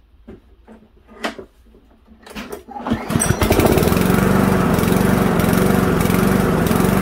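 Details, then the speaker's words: Toro mower with 159cc Loncin TXP engine (Honda GCV clone), after spark plug replacement: pull-start rattles, then runs with speed rising and falling; surge persists, caused by plugged carburetor jet. "definitely not stopped so now I'm going to show you how to carry on on this job and get to the part that makes the lawnmower search"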